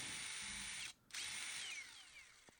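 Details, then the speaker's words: DeWalt impact driver: high motor whine cuts out briefly with a slight lag and on-off knock, then picks back up and winds down; worn trigger switch contacts intermittently dropping power, fixed without parts. "but there is a slight lag and a slight little little knock on and off."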